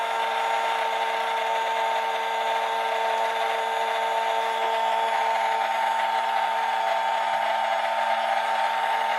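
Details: RNLI Severn Class RC lifeboat by Zappies, brushed drive motors on a large 3S LiPo via adapter (owner fears ESCs may overheat): steady even electric whine at one pitch, no rattle or stutter; running normally.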